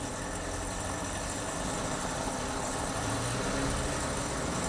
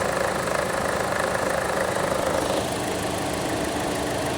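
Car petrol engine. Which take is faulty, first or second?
first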